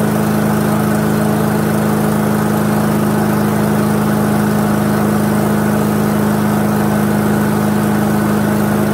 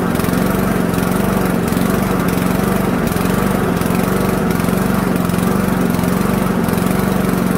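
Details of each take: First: Toro lawnmower with a 159cc Loncin TXP engine (Honda GCV clone), after the fix to the carburettor's small plastic jet that caused surging: a steady, even drone at constant pitch with no hunting, then winding down at shutoff. Healthy running. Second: Toro lawnmower with a 159cc Toro (Loncin) TXP engine, a Honda GCV clone, warmed up on its original spark plug: revs rise and fall in a slow repeating cycle. Surging from a plugged idle jet in the carburettor.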